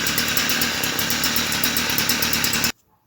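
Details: Stihl FS38 two-stroke trimmer during carburetor tune-up, adjusting screw about half a turn from original; high buzzing full revs with uneven faltering edge like running against a governor, then cuts off; mixture adjustments don't cure it.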